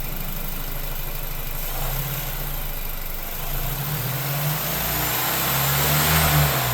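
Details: Brand-new 2024 Lincoln Corsair 2.0L EcoBoost I-4, under 300 miles: on light acceleration/deceleration the engine note rises and falls with a pop and a loose rattle that comes and goes; owner wonders about intake manifold actuator, unconfirmed.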